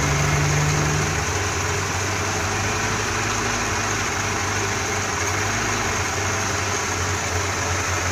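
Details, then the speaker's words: Dodge Dakota 4-cylinder with a Holley carburetor and electric fuel pump, before rebuild: idle lopes and wavers unevenly from a low-speed circuit fault; covering the opening immediately smooths it and raises the idle. "en el circuito de baja velocidad hay problemas salen del hecho ahorita está inestable la camioneta con el motor"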